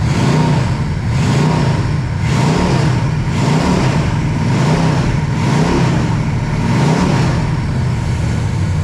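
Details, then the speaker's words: Pontiac 421 .030 over, '69 big-valve heads, 180°, revved to 2700–2800 rpm with oil pressure near 60 psi; blips climb unevenly and sound strained because the carburetor is not tuned for this engine. Lean running from untuned carburetor. "like I said the carburetor is not tuned up for this engine so it is not happy there we go"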